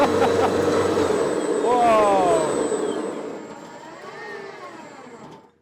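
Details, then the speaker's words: $20 gas snowblower converted to twin electric motors with belt drive, speed controllers and battery, first snow test: clean rising whine on spool-up, steady while clearing snow, smooth wind-down; normal electric drive under load. "Okay, spooling up. Here we go. First test of the electric snowblower."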